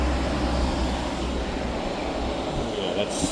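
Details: Hyundai portable AC after leak repair and recharge (it had gone warm after two weeks), drain tube added: constant low compressor hum under a steady fan rush, fairly loud but even, with the air now nice and cool; cooling normally.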